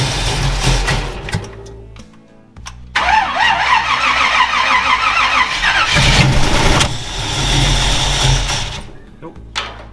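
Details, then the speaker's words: Rat rod wrecker engine, start attempts after redoing the initial setup: starter churns at about three and a half beats a second in repeated bursts but the engine never fires; no injector pulse, no cam signal, no RPM reading. "no injector pulse. No cam. This is getting stupid. Nothing. Doesn't read any RPM. No RPM. Why is it not reading RPM?"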